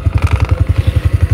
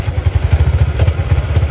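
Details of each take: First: Honda Supra X 125 FI (KYZ engine), 87 days old, idling: thumps about ten a second with a light buzzing clatter on each beat. Loose license plate bracket shakes, no vibration without the plate; bolts tight but mount seems under-supported. License plate bracket rattle. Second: Honda Supra X 125 FI (KYZ engine), 87 days old, idling after padding with 3M pads: even steady putter, crisp exhaust, no buzz or rattle from the front, normal idle.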